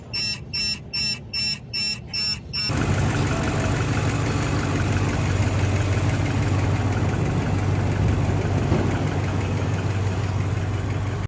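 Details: Dodge Ram 5.7 V8 after a misfire repair on a no-compression cylinder (stuck lifter suspected, new pushrod fitted): a steady, even idle with a smooth low rumble and no misses or ticking. It sounds healthy.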